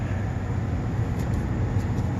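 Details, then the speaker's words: Newly installed furnace after repositioning the igniter (reusing the old furnace's combustion blower fan and sensors), heating up and blowing hot air; steady even low air rumble, no rattles or surging — normal blower operation. "It's pumping out nice hot air. Nice. It's working."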